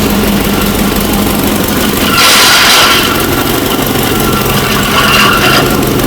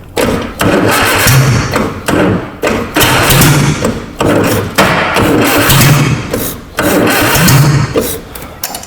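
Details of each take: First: Abandoned 1960 Nash Metropolitan restarted after revival: quick even firing under loud fan roar, two short throttle blips pick up cleanly; running well, normal running. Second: Abandoned 1960 Nash Metropolitan on its first run, ignition timing not yet set, fires in short bursts of loud, raw, blatting exhaust every couple of seconds. The exhaust system was torn off while unloading from the trailer.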